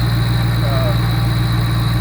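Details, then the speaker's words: Shelby GT500 after timing chain tensioner repair (chain noise previously mistaken for rod knock): steady, even low idle with no chain tapping or slapping, smooth hum; engine runs normally. "Everything's smooth, it runs great."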